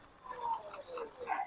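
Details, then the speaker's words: Budget Razor MX650 electric dirt bike with a 72 V controller and motor, on a test ride: a sharp, steady high-pitched squeal of about a second while braking. The brakes sound worn out ("shot"); this is suspected, not confirmed. "And yep, as you hear, the brakes are shot, too."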